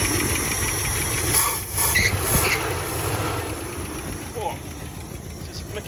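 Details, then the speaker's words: After replacing the failed ignition unit, starter cranks and the engine catches, settling into a rough but steady run with background hiss; healthy start. "All right, so as you can see, we got that thing running and super happy with that."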